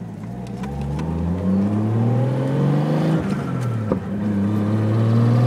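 Revs climb and fall with a droning tone that rises alongside engine speed; there is an odd extra note, but its source is unclear.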